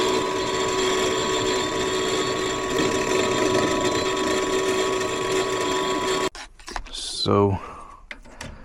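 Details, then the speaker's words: Furnace on a no-heat call, heat mode: steady motor hum with raspy scraping rush, sounding like a diesel; inducer wheel damaged and rubbing in its housing. "well boys I think we we all know what the sound of that is sounds like an inducer take the ABS on this sound like the actual wheel do damage"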